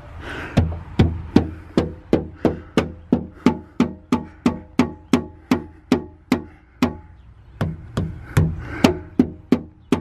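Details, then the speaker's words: A new replacement tailgate on a Jeep Wrangler Unlimited 4-door 3.6L V6 is struck with a palm about three times a second, giving a hollow, ringing knock and a faint buzzy rattle. The owner fears the old rattle will return; the cause is unconfirmed. "right there same place its Hollow and it's rattling by me hitting it with the butt of my palm"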